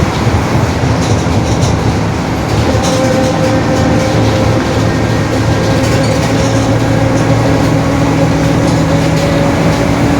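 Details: 2021 Marcopolo Torino S bus on Mercedes-Benz OF-1721 BlueTec 5 chassis, onboard while driving: loud steady drone with low growl and faint held whine above road noise; growling differential.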